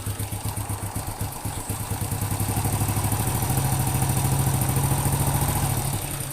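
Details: Honda Supra X 100 (C series) after replacing worn rear cam chain tensioner roller on magneto side, which had caused a klak knock at idle and rough running: steady, even single-cylinder idle thump, no clatter. Normal idle after repair.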